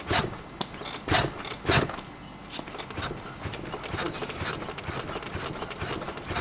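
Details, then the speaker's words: Honda Forza 350 rear shocks after preload adjustment with the bike's tool kit, 80 kg rider bouncing on the seat: sharp creaks and clunks as the shocks compress, still noisy; owner suspects they are just poor shocks. "of adjusting that shock and you can kind of hear them they're still making noise like they're just not good shocks"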